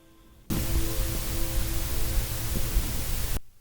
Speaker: This is what I hear after I turn off connections. And this doesn't go away until I reboot the 30K.